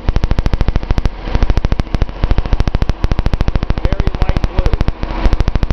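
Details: Nissan 280Z L28 engine at idle: choppy popping idle with a cylinder dropping out about once a second. The owner suspects the number 6 injector after a power balance test, possibly a clogged fuel screen; a Colortune plug is fitted in cylinder 6.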